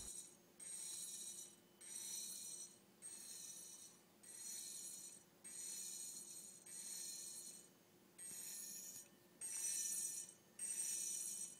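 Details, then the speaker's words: Hitachi Deskstar 7K250 hard drive powered up with a head crash: quiet hiss broken by sharp high scratchy screeches about fifty times a minute as a head drags the platter. "There's the ticking noise again. Looks like the firmware is trying to park the heads to protect the platters but it fails to do so."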